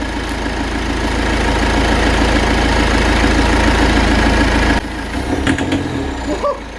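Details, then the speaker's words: Citroën Berlingo HDi turbo diesel that misfires badly when driven, idling as Lucas EGR and turbo cleaner is sprayed into the intake in two-second bursts: steady clatter, then the note drops and turns ragged, belching smoke. "she doesn't like that oh oh, she just belched out smoke yeah I'm not surprised"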